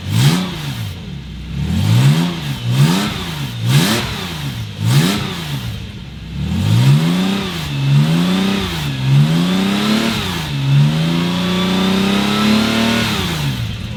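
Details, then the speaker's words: Porsche 911 with Subaru EZ30R flat-six swap, first run-up after plugging vacuum inlets on the air intake that caused very high revs: clean even blips then a steady climb, no stumble or rattle; smooth, idle now 800 rpm. "I mean wow can we talk about how smooth and buttery that sound is"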